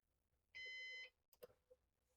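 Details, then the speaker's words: Used Synology DS418 NAS during first setup after applying the volume: single clear high-pitched half-second beep, then handling clicks; "heart monitor" warning beep, later silenced via Beep control mute. "I don't still don't understand the heart monitor sound that this thing is making, but uh we'll figure that out."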